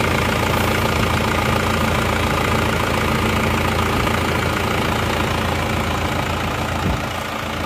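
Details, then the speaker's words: Isuzu Panther diesel, previously run out of coolant and repaired, restarted after repair: even, steady diesel clatter at idle with no misses, stumbles or hunting; normal idle. "Oke, mesinnya sudah hidup. Ini akan kita coba jalan dulu teman-teman."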